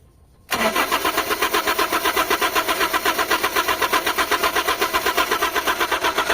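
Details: Carbureted Toyota HiAce van with hard starting, first start after carburetor cleaning. Steady rhythmic starter churning at about four beats a second, cranking on without catching cleanly; extended cranking.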